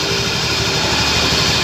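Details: Honda Scoopy scooter with pulley/CVT cover off, engine running: rough, gritty buzz over idle that never smooths out. Worn crankshaft bearing; engine must be removed and fully disassembled to replace it.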